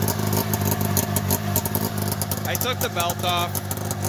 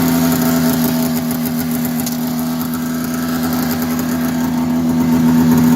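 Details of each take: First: 1990 Polaris Indy 500 snowmobile, stored outside since 2005, carbs cleaned, new plugs, fresh gas, starting fluid, holed header pipe: raspy two-stroke buzz catches on first pull and blips cleanly with the throttle without misses, normal start and revving. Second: 1990 Polaris Indy 500 two-stroke snowmobile, sat outside since 2005, carbs cleaned, new plugs and gas, belt removed: runs steadily, starts right up, raspy buzzy edge on every firing pulse from an exhaust leak.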